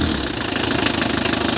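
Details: Mitsubishi L300 van, 4D56 diesel, checked for hard starting (magnetic shut-off valve): steady idle with an even quick knocking clatter, no misses or hunting; settles and runs normally after starting.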